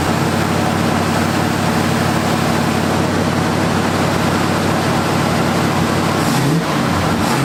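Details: 1978 Ford Fairmont Futura after GT40P head swap, Holley two-barrel carburetor, just started: steady, even idle with a smooth low rumble, no knocks or misses, slight throttle blip near the end; healthy.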